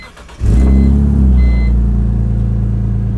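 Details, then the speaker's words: BMW X3 engine, 140,000 miles, freshened with new seals and reinstalled: starts on first try, settles into steady smooth idle with no knocks; normal start and idle. "so she starts up on the first try nice and quick she idles nice and smooth and she drives great"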